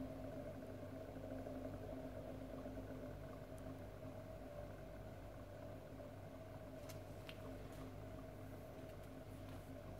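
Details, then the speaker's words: 40 kW induction motor driven by a 4 kW inverter, frequency held, voltage raised to about 10 V until the motor picks up again after losing sync; quiet steady hum and even whir, no surging, running smoothly. "I'm going to increase it until I hear the motors start to pick up again eight votes for okay so it's quite happy now it's happy to pick it up again"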